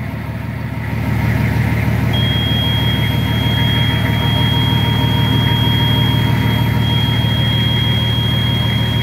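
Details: Nissan Patrol Y60 TD42 turbo diesel first start after 9 months in storage, on a nearly 3-year-old battery; deep, steady diesel clatter settling into an even idle after start-up with no knocks or stumbles; normal idle.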